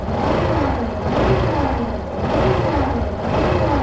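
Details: 2017 Yamaha Fazer 150: a whine rises and falls with revs and sounds like a blown bearing or clutch noise. It changes when the stator is disconnected and reconnected, so the cause is a burnt stator coil.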